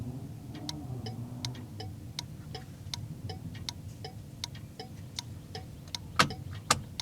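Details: 1981 Chevy, key on and engine off, first HM 552 thermal flasher installed in place of the factory Tung-Sol 224: sharp, even turn-signal clicks at about two per second with a faint hum; working normally.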